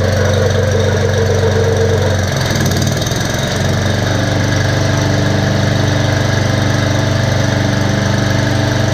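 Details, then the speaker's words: Bear Cat chipper/shredder after repair (belt, knives, screen, spark plug, mouse nest cleaned out): rotor spinning, steady even engine drone, smooth unwavering rotor hum, no knocks or wobble; well balanced; normal running. "I don't know if you can hear that but that's the rotor spinning and that just thing really sings sounds really really good like it's very well balanced"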